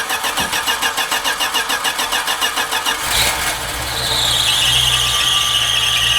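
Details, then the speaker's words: 1980 Dodge D150 carbureted engine after new fuel filter, fuel poured down carb, main air bleed screw two turns out: steady cranking about three and a half beats a second, then catches with a whistle; slow to fire, bowl likely still filling. "bowl still might be filling the bowl up it does that it just dies are you on the gas little bit just keep it running"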